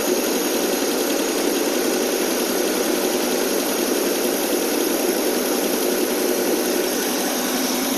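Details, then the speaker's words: AMC 287 V8 after carburetor cleaning and an exhaust leak fix, cold on choke: a steady, even fast idle of about 1200-1300 rpm with no exhaust puffing or ticking; the engine sounds healthy. "okay we're about 12200 fast idle now actually about 13 might have adjust that a little bit later it sound so much better already no exhaust leak Eng it sounds great"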